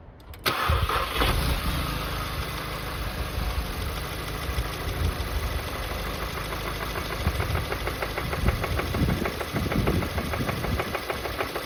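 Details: VW Golf GTI Mk7 Performance Pack, CXCB engine, revved from idle to 3000 rpm, back to idle, then to 4000 rpm: deep metallic knock following rpm, rod knock likely from running without oil after the plastic oil pan broke.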